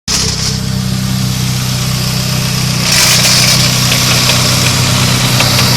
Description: Just installed my custom Cpl racing gear set and I have this weird crackling noise sounds like any idea?